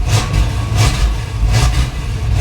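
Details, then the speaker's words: 1968 Caprice V8, just started after cleaning the battery terminals: lumpy, uneven running that surges and sags about every three-quarters of a second and won't idle by itself. Owner suspects it needs more accelerator pump; off-idle hesitation. "I think we need some more accelerator pump in that. Oh, she's not gonna run by herself."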